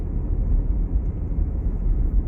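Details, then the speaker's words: Jeep Cherokee test drive after replacing failed drivetrain control module and clearing codes: low even road rumble, earlier clicking gone, no longer struggling to take off; drivetrain sounds healthy. "Alrighty, so I'm on this test drive. I no longer hear it clicking and it doesn't feel like it's struggling to take off anymore."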